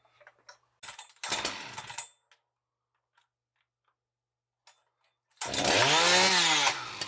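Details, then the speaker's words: New Husqvarna 61 chainsaw, stock, before dyno baseline runs: sharp high-pitched two-stroke snarl rises quickly after a couple of starting pulls and holds steady; healthy, running clean. "But for now, just going to fire it off stock, listen to it purr, and get some baseline runs on the dyno."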